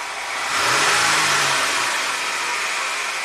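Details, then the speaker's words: 2017 Jeep Wrangler Rubicon with P0390/P0394 bank 2 intake cam circuit codes, at start after swapping cam sensors bank to bank: revs then hissy metallic rattle; startup rattle, cause unconfirmed, bank 2 intake cam about 6 degrees off. "It's not a good sound. Like it's phasing the exhaust probably to warm up the cats, but they're not equal."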